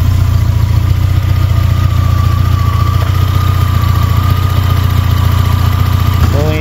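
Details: Suzuki Samurai with a Holley Sniper EFI conversion, wiring and setup corrected and reset to factory, computer not yet relearned: idle pulses unevenly, three to four beats a second, with a heavy loping low rumble; running rough, cause suspected, not confirmed.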